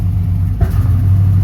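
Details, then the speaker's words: 1990s Chevrolet Impala SS with LT1 350 on a cold day after an alternator replacement; the idle no longer spikes to about 1500 rpm. On throttle tip-in the idle sags and stumbles as if about to die, then recovers slowly; a fuel delivery fault is suspected. "y'all hear that it acts like it wants to die out so we got to fix that see what's wrong with with that there"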